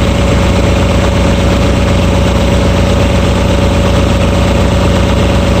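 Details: RigMaster APU small diesel, after fixing an open circuit at the fuel-solenoid wiring connection that caused failed-to-start. Loud, steady idle with a low even clatter and constant hum; no misses or stumbling, runs fine.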